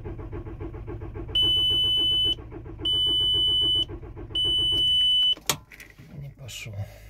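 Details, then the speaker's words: VW T5 diesel, cold start on a morning after sitting overnight parked level: cranks steadily about five seconds under three long beeps after one glow cycle, never fires; owner suspects fuel system air ingress (injector seals, tandem pump or rail suspected), started after a pause. "12 мая пробуем завестись холодный запуск даём один накал не хохочет пробуем"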